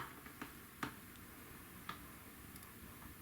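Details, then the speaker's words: 25-inch Hantarex Polo arcade monitor chassis (bad caps, broken pads, shorted MOSFET) at power-on after a new fuse: quiet room, faint ticks, then one short high chirp; power supply failing to start. "no but it did it did chirp slightly and I wonder what our amp draw is"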